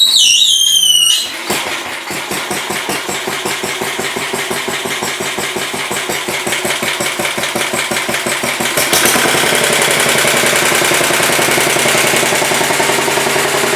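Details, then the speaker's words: 1967 Sears Suburban 10 tractor, single-cylinder, after repairs: it fires and runs with a crisp even beat, then picks up speed around nine seconds and holds; the owner concludes revving too low behind the plow undercharges the battery, so higher revs are needed. "all right well I'll have to rev it up a little bit when we plow through on this battery sounds better than the other one though"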